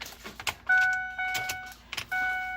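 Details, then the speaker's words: 2008 Ford F250 6.4L turbo diesel (P2291, cranks, runs seconds then dies); new electric diesel lift pump on frame priming with purge switch open to purge air: steady mid-pitched hum in two bursts, normal priming. "Tiene que trabajar por lo menos 30 segundos a 1 minuto con el switch abierto y esperar a que saque todo el aire. Ahí dejó de trabajar."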